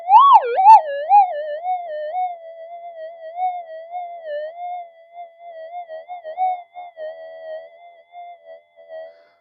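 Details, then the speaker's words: Modified pulse induction gold detector on slow tracking over a Nevada hot rock: a wavering mid-pitched tone wobbles briefly, then settles to a steady threshold hum as the hot rock is tracked out; normal hot rock rejection. "ate that for breakfast so that's your Nevada hot rock"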